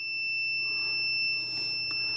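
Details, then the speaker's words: Atari ST power switch with carbon-fouled, temperamental contacts, cleaned and tested across the white wires: a steady, unbroken high-pitched continuity tester beep holds throughout; the switch now closes, likely an easy power fix. "i can move i can whittle it's now giving me the beep [Music] on the white wires so i think this could be a very easy fix for the power"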